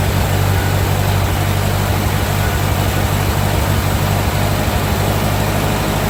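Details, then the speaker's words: 1945 Ford 2N loader tractor after rewiring: deep, even four-cylinder chug, no misses or knocks; oil pressure about 10, charging; normal idle. "Heat up here. Well, it started up. It's sort of got oil pressure 10. Oh boy. And it's charging. So, all seems to be okay."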